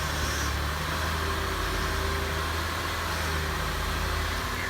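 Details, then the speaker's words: 2006 Lexus RX330 V6 after high-pressure power steering hose replacement, first start checking for check engine light: smooth, even low hum, no knocks or squeals; normal idle. "well sounds like the front is pretty good"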